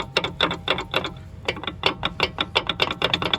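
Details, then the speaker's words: 1999 Infiniti QX4 / Nissan Pathfinder at over 190k miles, front wheel off: sharp metallic clicks in quick, uneven bursts as the axle turns. The front CV boot is torn with grease spun around the wheel well; the worn CV joint is shot and the axle is being replaced. "you can see all the grease spun up inside the wheel well and the front boot is torn and more importantly see if we can see where the source of this noise is coming from foreign"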